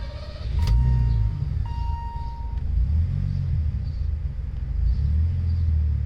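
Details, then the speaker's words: Hot start, key just flicked, on a turbocharged Megasquirt flex-fuel car running 24% methanol blended with 91 octane gasoline: fires first try and settles into a smooth, even, low idle with no stumble. "all right with 24 methanol on a hot start just want to show you kind of what that's like so this is just literally flicking the key"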